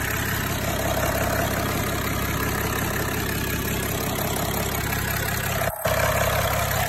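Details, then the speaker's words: 6030 tractor diesel after work on injector leak-off hoses, started to check for leaks: starts right up into an even, steady idle with a smooth low rumble, no misses or knocks; normal idle. "go ahead and crank her over all right stop right up good time it makes you know that everything's on right and everything"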